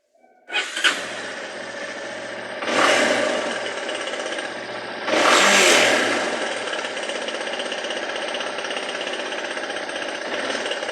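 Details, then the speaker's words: Yamaha XTZ Lander 250 single, before repair: starts and blips twice, then idles with a light metallic chatter over the exhaust; mechanic found worn cam chain tensioner letting the chain rattle, noise fixed by the mechanic. "já fiz uma revisão geral tirei o barulhinho aí do motor que tava bem estranha eu vou colocar até aqui no vídeo barulho é esse"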